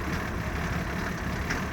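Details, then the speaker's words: 1987 Mercedes 300SDL OM603 turbo diesel, stone-cold start at 38°F after glow plugs cycled: low, rough idle with occasional stumbles and smoke puffs; intermittent cold-start misfire, no coolant loss, appearing only when dead cold. "yep keeps misfiring every time you see that little extra puff that's a misfire"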